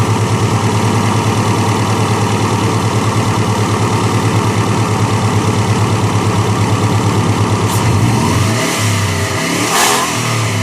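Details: Engine idles with a steady pulse, then revs briefly; a faint high whistle rises with the revs; turbo whine, typical spool.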